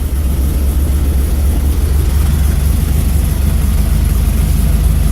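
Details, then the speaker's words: Carbureted bus engine idling just after a cold start at about 45°F, being warmed up slowly without revving: deep, steady rumble with an even beat and no knocks or misses. Normal cold idle. "the primary thing is let it warm up slow."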